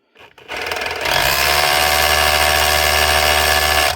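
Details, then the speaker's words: 2019 DeWalt DCH273 SDS drill after cleaning and regreasing. Hard, fast, even hammering at three to four blows a second over a steady motor hum, smoothing as the grease spreads: normal hammer action. "You can hear the tone change already. It hammers wild hard, and if you start running it, because the grease is still packed in the front, then once it goes back and forth a few times, the grease starts to squeeze out and runs nice and smooth."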